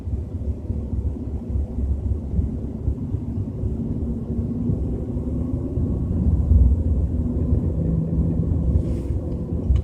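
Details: BMW 320i with a deep, continuous low rumble under road noise at 30–40 km/h, slowly swelling with speed, no clear beat; cause not pinned down.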